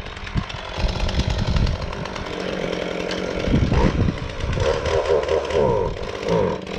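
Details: Husqvarna 450 X-Torq chainsaw with new bar and chain, first start: revs wavering and burbling instead of clean steady scream, rich on the top end; owner later suspects carb out of adjustment; rough running.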